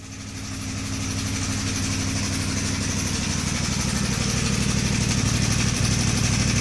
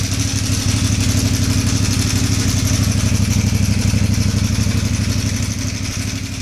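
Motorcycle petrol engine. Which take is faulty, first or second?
first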